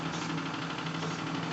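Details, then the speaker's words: Live-steam RC Clyde Puffer coaster Kilchoan (11 kg), first test after sealing leaks and fitting accessories, running in reverse: soft, quick, regular chuffing, no knocks or hesitation; owner suspects small propeller's pitch makes reverse run easier, audible in sound. Normal running. "il est possible que la petite hélice est un pas qui en marche arrière lui permet de fonctionner plus facilement on l'entend au son"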